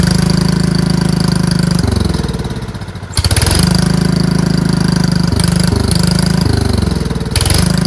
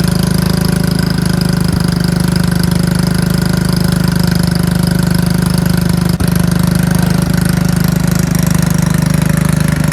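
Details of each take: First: Riding mower with bagger fitted, jump-started from a pack after its battery read only 9 volts: steady low chugging run that dips with throttle changes around three and seven seconds and recovers cleanly; engine runs fine. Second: Riding mower/tractor single-cylinder engine, run on a jumper pack after its battery read only 9 volts: uneven chugging with stumbles and speed dips, runs well a few seconds then hesitates, goes very slow and stops; connecting rod not blown, cause unknown.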